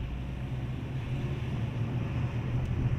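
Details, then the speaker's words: 1997 Opel Vectra 2.0 16V, 304,000 km, test drive after cylinder head gasket replacement, pulling up a grade: steady even low drone with wind and road rush, no knocks or misses; engine runs healthy. "rampamızda şu anda çekişi deniyoruz çekiç güzel Maşallah var nazar değmesin araba gayet rahat dedi ustamız"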